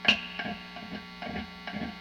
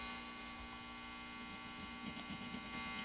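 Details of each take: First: Vintage Fender Telecaster neck pickup plugged into a warmed-up amp, grounds verified, before wax potting; each light tap brings a hollow ringing clunk over steady mains hum; pickup microphonic. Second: Vintage Fender Telecaster neck pickup after home wax potting, bobbin tapped: only steady mains hum, no ringing or squeal; pickup and wiring now quiet, microphonics gone.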